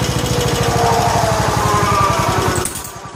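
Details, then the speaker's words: 1969 John Deere 140 H1 on a new carburetor, running after a cold start: a steady single-cylinder thump of about three to four beats a second with no misses, then it winds down; runs quiet and smooth. Normal running. "but it does run now the next video you see the video clip will be it's running and it runs well runs quiet and smooth"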